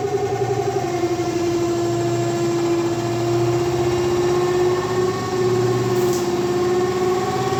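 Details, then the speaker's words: LG 7.5 kg semi-automatic washing machine, dryer/spin side: loud steady droning hum with pulsing low rumble while washing works fine; cloth trapped in the spin tub causes the noise. "इसमें काफी ज्यादा आवाज आ रही है तो अभी हम इसको चेक करेंगे वा किस चीज की है तो इसमें मे भी कपड़ा ही फस जाता है कई बार कपड़ा फसने वैसे आवाज आती है"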